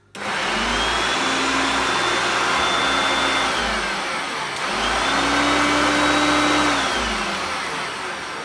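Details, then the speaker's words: Vintage Hoover Concept upright vacuum after cleanup, run at its low and high power settings: steady, even motor whir with a clean high whistle, no rattles or scraping; normal running. "so it has the two powers it has the low power and the high power"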